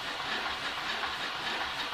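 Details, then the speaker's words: New Omega Super Charger air compressor, secondary pressure needle set below 2000 psi: continuous loud hiss of air venting with faint chugging, washing-machine-like; condensate purge venting too often because purge timers are factory-set very low for testing. "so they've got these set real low just for testing apparently"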